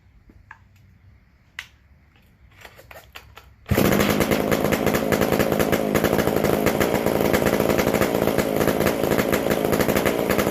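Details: McCulloch Super Pro 125C chainsaw restarted; fires after a few clicks, steady even buzz, runs well, loud because the muffler-to-exhaust gasket is missing and on the way.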